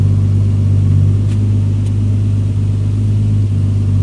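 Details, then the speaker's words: Rebuilt engine's first start, cylinders had been oiled: steady deep rumble at 1000 rpm, even, no knocks, misses or hunting, no smoke; normal settled idle. "Og den ryger ikke engang. Sjovt nok. Jeg tænker på, hvordan der stod en der med på hovedet med olie ned i alle cylinderne. Perfekt. 1000 omdrejninger. Perfekt."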